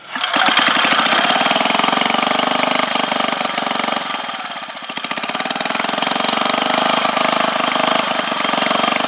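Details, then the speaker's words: 5 hp Briggs & Stratton single-cylinder engine, first run after rebuild, on full choke; catches with rapid pop, dips briefly around four seconds, then settles and steadies; normal running. "All right, so we got the engine back together, and this is gonna be the first run of it. I'm really excited."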